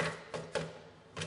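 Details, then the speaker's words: Robin HR200 aircraft exhaust system during 50-hour check, tap test with a screwdriver: four quick taps, some flat and dull instead of ringing, indicating eroded, thinned exhaust wall near a suspected perforation; repaired by welding. "so what I'm doing now with the screwdriver is what we call the tap test and you can often hear the tone difference of the tap if there's an eroded part of the material there will become a lot dollar"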